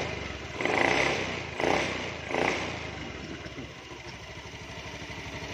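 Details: Honda Beat eSP scooter after repairing and rejoining faulty wiring, owner noting the CKP circuit: short throttle blips, then a smooth, regular putter at idle with no stumbling. Starts and runs normally.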